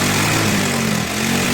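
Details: Yamaha Mio i scooter revived after river submersion and 3 years not starting: steady, even small-engine buzz with no misfire or rattle; runs cleanly now.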